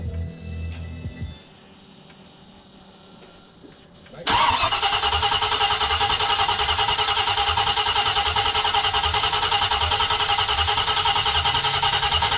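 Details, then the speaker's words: Jeep J20 V8 during Holley Sniper EFI install, with new headers and fixed plug wires, at test fire: after a quiet lead-in it fires and settles into a loud, steady, even lope with a clean exhaust note; healthy. "yeah listen to how good she sound yeah holy [ __ ] it sounds so good with them headers full exhaust"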